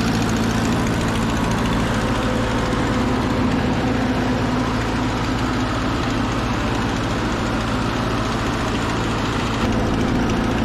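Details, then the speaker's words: Over-80-year-old Ford 9N tractor at its first start after being saved from the crusher: a rough, loud, smoky idle with an uneven puffing chuff as possible critter nests burn out of the exhaust. A pretty good exhaust leak sits at the back cylinder, number four. "there's also a pretty good exhaust leak on the back cylinder number four"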